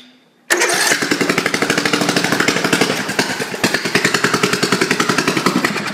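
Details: Craftsman lawn tractor single-cylinder engine on a car battery, kill switch not yet wired, running on somewhat old gas: catches and settles into a quick, even popping run with steady beat; normal running.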